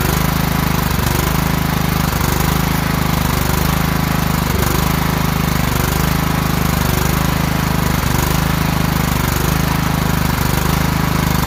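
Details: Kohler single-cylinder riding mower from an auction, started by jumping the starter past a clicking solenoid: it runs steady and even with a constant low drone and no knocks; starter solenoid suspected, deck belt missing.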